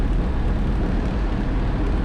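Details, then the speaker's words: 1968 GMC half-ton pickup V8 while driving after fresh oil change; gauge temp creeping to 200, possible overheating suspected. Deep even V8 rumble under road noise with no knocks, misses or rattles; normal running. "I think this is a pretty dang good pickup for the price. Temp is creeping up to 200 according to that. Who knows? Maybe it's got an overheating issue. It sounds good though."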